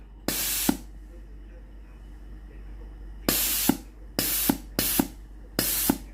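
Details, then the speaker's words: Philips GC9231 steam iron being repaired for weak steam; after the boiler heats and the pump runs, five sharp, strong, even half-second steam bursts show the water valve and boiler are normal. "ถ้าเทสได้อย่างนี้ในส่วนของตัววาล์วน้ำและในส่วนของตัวหม้อต้มนะครับปกตินะครับ"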